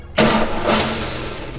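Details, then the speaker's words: 1992 Fox body Mustang, new starter solenoid, starter jumped with a wire across the solenoid terminals, key on: short burst of starter whirr turning the engine for about a second, then fades; starter cranks normally, would start if held longer. "see i didn't hold it for longer but if you held it for longer the car would start"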